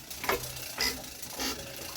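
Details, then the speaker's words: JP2 boat engine, cold December start after three months unused, in neutral, turned slowly by hand with cold oil: four sharp clacks about every half second; a sticking valve snapping open against cylinder pressure. "Hear them funny little clacks. And that's the valve sticking a little. So there's a bit of pressure in the cylinder before it opens."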